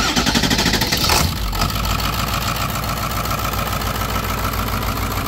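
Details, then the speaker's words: Ford Excursion 7.3 Powerstroke, started with the starter circuit bypassed: quick crank catches at once into a steady, even diesel idle with no miss; no smoke, little vapor and no blow-by. "no smoke fires right up no blow by which is a big big deal for me little Vapor but no blowby really at all"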